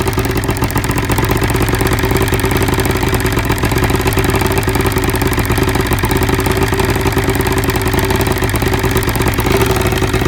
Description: We lucked out that it was simply arcing down the spark plug porcelain on cyl #1.